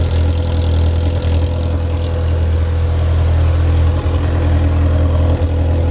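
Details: Ferrari F355 engine after the front-of-engine noise heard from tens of seconds after start has stopped: smooth, even low drone holding steady with no knocks or surging; idle settled and stable.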